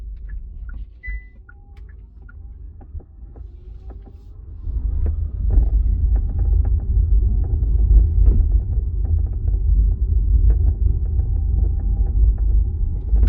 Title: 2025 Ioniq 5 Ultimate boot trunk rattle creak noise